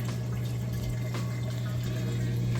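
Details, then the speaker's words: Samsung VRT front-load washer moving from wash into rinse cycle, drain pump emptying water fast; steady low pump hum with water rushing, even and unbroken — normal draining. "okay we're moving out of the wash cycle into the rinse cycle and it's draining that water out nice and fast you can hear it draining there in the back"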